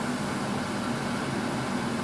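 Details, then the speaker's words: 1980s Tefal Spinmaster spin dryer (Calor, 2,200rpm max) running empty in a sitting room: it accelerates fast to a smooth, constant rushing whir with a mid-pitched motor tone, wind blowing the curtains, no rattles. Normal motor at full speed. "it accelerates pretty fast it does you can see there's wind coming out the side of it blowing the curtains"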